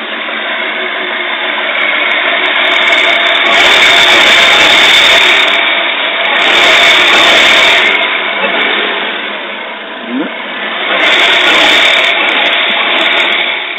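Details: Toyota 2JZ-GTE turbo six idling unevenly, its loping beat swelling and sagging, overfueling; later solved by servicing and flow-matching injectors, replacing the O2 sensor and bad spark plugs.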